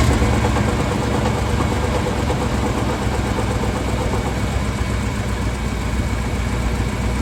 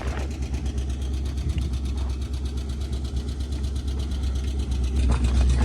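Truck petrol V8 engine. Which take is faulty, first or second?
second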